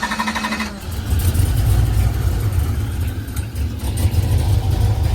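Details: Box Chevy V8 just after cam install, started and blipped: deep choppy lope, strong throttle response, runs well; longer pushrods fitted cured an earlier noise, fuel filter added after injector contamination.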